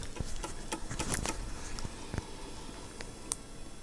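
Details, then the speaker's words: Cumana CSA 354 Atari ST external floppy drive (1989), bought as faulty, after repair, reading a disk as drive B; quiet irregular clicks and short grinding ticks as the head steps: normal seek noise. "it oh it's the usual grinding sound so yeah that works pretty well"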